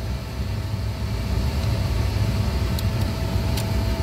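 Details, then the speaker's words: 2006 Chevy Colorado 2.8L after replacing the noisy, worn-bearing blower motor and its resistor, engine idling: steady low air whoosh through fan speeds one to four with no squeal, rattle or ticking; the new blower runs clean. "all right guys so we're gonna start it up all right so as you can see code well there goes number one there goes number two there goes number three and there goes number four"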